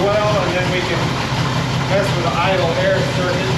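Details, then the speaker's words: 1960 Pontiac Bonneville V8 with AFB carb, just started after distributor adjustment: lumpy uneven idle with heavy low beat under other noise; pretty rich with points dwell extremely high. "it's pretty rich [Music] and the dwells extremely high"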